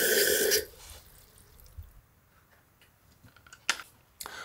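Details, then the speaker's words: Danish WC with a condensation-free design: water sits in a plastic inner cistern. A normal flush: the button lifts the outlet valve, water rushes into the bowl, the float drops and the inlet valve refills the cistern. Brief rush, then drips and light clicks. "Det vil sige når jeg trykker på knappen så løfter jeg ventilen så vandet falder ud af cisternen og ned i kummen og samtidig med at vandspejlet falder ned så falder selve flyder koppen med ned og så tager cisternen eller ventilen her nyt vand ind i cisternen"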